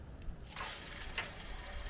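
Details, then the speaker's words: Thermomate AZ132 portable tankless water heater switched on: a few sharp igniter ticks, then a soft whoosh as the burner lights and settles; normal ignition. "so it is clicking right now and it lits so you're going to hear that ticking sound and then it will light"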